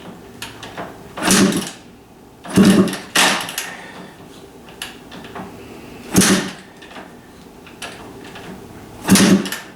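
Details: Kawasaki KDX250 two-stroke, uncertain frame ground: five separate kick strokes, each a short thumping whoosh with silence between, no firing; later started once kill switch was held in due to different wiring.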